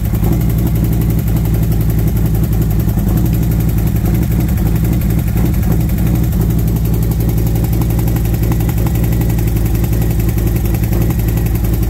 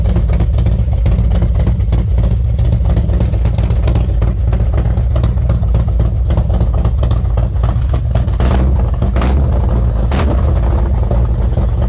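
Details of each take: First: V-twin motorcycle warmed up after new SS540 cam and valve springs, lifters set to four full turns: lumpy idle with fast light tick over exhaust beat from front valve cover; lifter or valve train suspected, exhaust side front possibly louder. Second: V-twin after new SS540 cam and SS valve springs, lifters adjusted to four full turns, warming up about 10 minutes at 40°F outside: steady deep idle with strong intake hiss and no audible tick, sounding healthy and mean.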